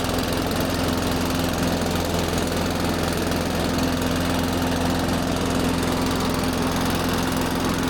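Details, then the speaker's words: Benchmark mower engine after a no-start repair (stale fuel in the undrained carb): loud, steady but lumpy drone with an uneven chuff, no knock; rough-sounding but normal, running fine. "I always get hesitant whenever I start one of those benchmarks because they sound so terrible. I keep thinking something's wrong, but no, it's like Yeah, I know they're garbage. it's the engine trying to run."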